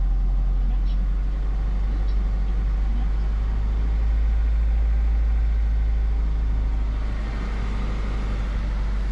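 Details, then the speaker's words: Honda CR-V B20 engine, cold start, no throttle, not in gear, after cleaning the idle control valve and its blocked gauze filter: deep, even raised idle without stumbling or hunting; normal fast idle it never had before. "so it appears that it now has a high Idol on cold start which it's never ever had"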